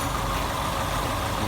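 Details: Daihatsu Classy that suddenly stalled while driving, with a distributor converted from points to CDI: engine restarted and warming up, steady even low idle hum with no knocks or misses; normal idle.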